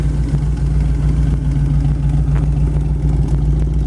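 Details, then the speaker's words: 1932 Ford Tudor resto rod with 200R4 automatic overdrive, 3,898 miles since built, exhaust exiting both sides: deep, even V8 burble through loud pipes, no misses, knocks or ticks; normal idle. "let you hear it run the exhaust comes out a nice spot right there on both sides"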